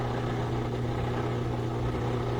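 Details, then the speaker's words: Whirlpool direct-drive washer after a won't-drain repair, drain pump spinning dry after emptying the water. Steady low hum with a lighter, airy tone and changed frequency, no grinding or rattle; normal drain pump running dry. "Now we hear the dry sump spinning, but it's just hitting air, so the frequency changes, different sound."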